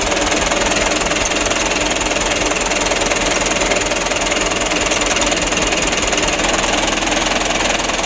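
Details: Mitsubishi Canter 125 (2008) diesel at steady idle after adjustment for shaking, long cranking and low power: an even clatter of about four beats a second with no misses or shake, now running smoothly.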